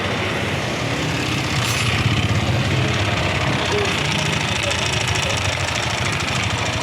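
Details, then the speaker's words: Yamaha NMAX v1 scooter with the side cover removed: an uneven knock ("lagotok") under the steady engine run, about three a second, and it is also smoking. The connecting-rod side bearing is suspected but not confirmed, and the engine is being disassembled. "Ayan, lagotok. Tapos may usok na rin. Posible may tama yung pinaka side bearing ito sa connect ng rod."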